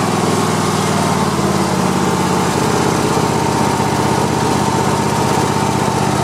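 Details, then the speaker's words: Cub Cadet i1050 zero-turn mower, long abandoned, after burning off old gas and refilling with fresh fuel: steady, even twin-cylinder drone at constant speed with no misses, knocks or squeals; running normally. "so all right so it's running pretty good just you know burned off all the old stuff and uh and i just put new gas in it"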